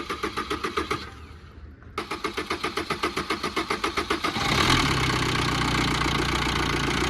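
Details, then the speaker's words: Maruti Swift with late-starting complaint and fault code P0340 (cam position sensor signal): starter cranks about four turns a second, stops, cranks again and catches only after several seconds; loose timing chain, very noisy, delays start. "இந்த வண்டியில் timing செயினோட complaint ஈஸியாக identification பண்ணலாம். ஏன்னா இதோட noise, timing செயினோட noise எவ்வளோ அதிகமாக இருக்குது பாருங்கள்."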